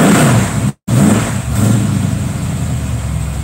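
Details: 327 V8 (newly built motor) first start: deep, lumpy idle with a cam chop that swells with a throttle blip and settles back evenly; a healthy running engine.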